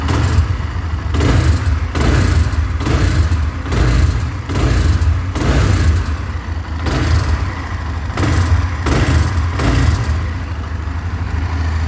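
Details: 2020 Honda CB Twister motorcycle at idle: dull thump or swell roughly every second over the steady beat; abnormal engine noise, cause unknown.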